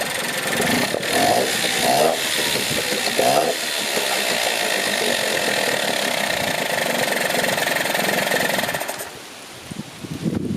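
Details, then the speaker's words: Dumpster-found Yamaha two-stroke outboard in a bucket of water, just restrung, plug checked, a little gas poured in: busy, crackly buzz holding a fairly even pace for several seconds, then cutting out cleanly; running fine. "Free outboard, literally got it an hour ago. It's already running."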